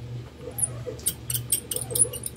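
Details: Electric fan with original, never-serviced motor, rotor shaft turned by hand: sharp, high chirpy squeaks in quick irregular bursts from the dry rear shaft bushing.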